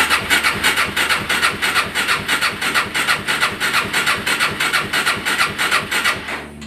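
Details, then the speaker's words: Suzuki LT-R 450 quad cranking evenly about three compressions a second, never catching; very weak intermittent spark on a swapped plug, rusted coil ground post; CDI later judged failed and replaced. "we are definitely having intermittent spark issues"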